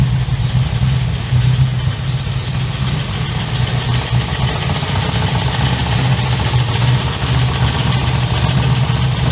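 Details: 355 stroker V8 in an HX One Tonner, restarted after 11 years unrun, Repco Engineering exhaust, recorded on a shotgun mic walking around: deep, lumpy burble at a steady, tough idle with a strong exhaust growl; runs evenly and healthy.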